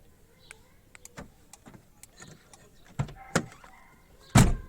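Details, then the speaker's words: Renault Laguna central locking with aftermarket universal remote kit: quiet, then crisp pair of thunks near three seconds and heavier clunk after as close button locks doors; normal central locking operation. "we hit the close button you have heard the noise and you realize it is already closed"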